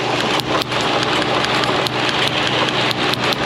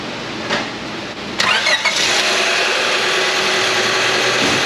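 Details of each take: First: Honda Civic with flashing engine warning and misfire codes P0300–P0304: rough idle broken by irregular sharp snaps, roughly two a second, as spark leaks from the ignition wires; all cylinders misfiring at idle. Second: 2000 Honda Civic 1.6 L 4-cylinder, 219,049 miles, after repair for rough running and P0300–P0304 misfires: brief cranking, clean catch and smooth, steady idle with no stumble; normal start and idle.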